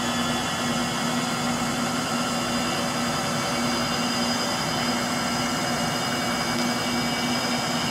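Steady spin-down roar with a constant mid hum and a rough gritty hiss over it, typical of worn washer motor bearings.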